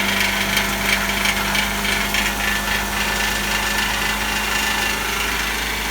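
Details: Idling older engine with loud, tinny metallic buzz and rattle from a loose exhaust heat shield, before repair; fixed by clamping the shield with hose clamps.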